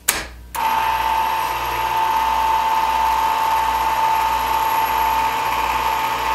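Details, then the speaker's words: Ham radio antenna rotor, about 25–30 years old, after teardown and lubrication with belt refitted: steady motor hum with even gear whine, no grinding or catching, much quieter and smoother than before, possibly turning faster. "it's still noisy but it's you know it's a big engine and it's big metal gears but it's nowhere near as noisy as it was and it's much smoother"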